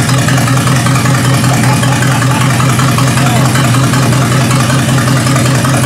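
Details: 1953 Hemi V8 with its old carburetor on a first start: smooth, even low rumble holding steady with no misses or knocks; normal idle.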